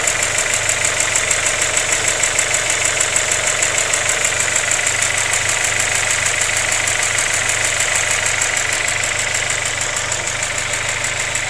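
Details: Vauxhall Zafira VXR petrol engine at idle: a steady sharp ticking of about three per second over an even idle.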